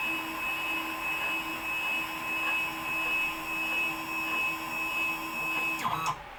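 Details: WorkBee CNC router with upgraded TB6600 4-axis parallel-port driver board under Mach3, machine home pressed, axes creeping slowly to limit switches, Mach3 then reads 0,0,0. Steady high stepper whine with low hum, then click and stop at limit switch; normal homing cycle.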